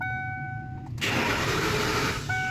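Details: 1994 Lincoln Town Car V8 after sitting with a flat battery; warning chime, then even starter cranking that never fires, immobilizer ruled out; crank no start from no injector power due to a broken PCM relay wire.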